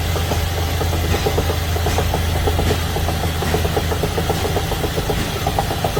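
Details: Sharp metallic ticks, roughly six or seven a second, riding evenly over the idle; an engine knock of unknown cause.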